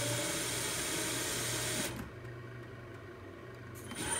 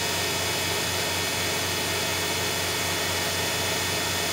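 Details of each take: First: Grizzly G0704 CNC conversion spindle on a Hitachi WJ200 VFD: on start a brief thin rising squeak with a small 5 Hz blip as the drive ramps up, then it catches and takes off; intermittent, cause unknown. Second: Grizzly G0704 CNC conversion spindle on a WJ200 VFD with a $13 braking resistor, run at about 5,000–5,400 rpm. A steady high whine, then a quick, clean falling pitch to a stop within seconds without tripping the drive; the spindle and braking resistor work properly.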